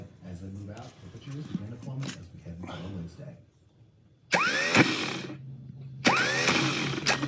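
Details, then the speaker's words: Stock starter removed from VW Vanagon Westfalia with 2.0-litre air-cooled flat-four, bench-tested: two short bursts of rising whine with rough rattle; Bendix not throwing in and out properly, a problem. "it's not going in and out too well though it doesn't sound good and it's not kicking out so that's a problem"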